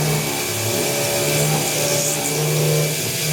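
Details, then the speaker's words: Titanium sheet being CNC machined with a 1/8" 4-flute carbide endmill held in a drill chuck, plunging at 0.6, about 1/16" step-down: even spindle hum rising and falling as the cutter bites, not straining or bogging; normal cutting. "you know it's not straining itself or anything"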